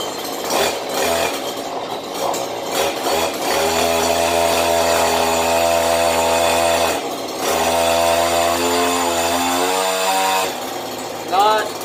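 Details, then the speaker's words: Stihl HL94K hedge trimmer after blade cleaning; two-stroke revs up to a steady even high buzz and holds it with no chatter or rattle; chatter would mean it needs grease, normal running. "not one bit of chatter"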